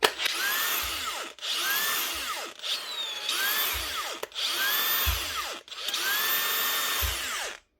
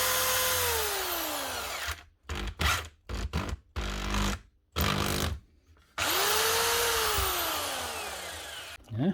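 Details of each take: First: Makita power tool, a repeat repair that got a new switch nearly a year earlier: the motor whirs up in roughly one-second bursts, then cuts out abruptly, over and over; it doesn't always run right, with intermittent running from a faulty switch. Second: Power tool sent in for repair whose only fault was its 13 amp plug, run after the plug fix: the motor whines up smoothly and winds down evenly between short bursts, spinning freely with no grinding; shocks and gears are good and it runs normally.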